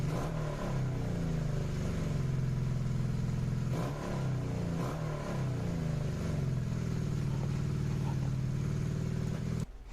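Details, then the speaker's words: Carbureted motorcycle before the fix: engine holds high revs for several seconds and is slow to return after a rev, because the carburetor idle adjustment screw was misadjusted. High idle from misadjusted idle screw. "See how it's like revving really high and like listen to how long it takes it for it to come back down."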